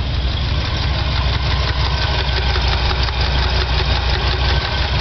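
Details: Chevy 396 big-block V8 idling: loud lumpy idle with an uneven light tick, seemingly from the cylinder head. The noise started recently, and adjusting the valves did not cure it; cause unknown.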